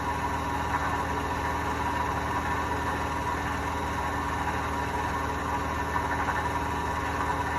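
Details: Hotpoint washing machine: a steady, even low rumble with a rough droning edge that never lets up, typical of worn drum bearings.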